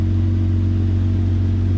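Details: 2004 Jeep Grand Cherokee 4.0 six-cylinder after replacing a blown PCM battery fuse that caused crank-no-start; steady, even low hum with no knocks, misses or ticks; normal idle.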